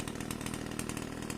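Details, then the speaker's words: Pole saw small two-stroke after replacing a hard-starting carburetor with a new bolt-on aftermarket carb: fast steady buzzing rev, even firing, no stumbling or surging; now runs great after the carb swap. "so yeah runs great now I'm going to go try it out"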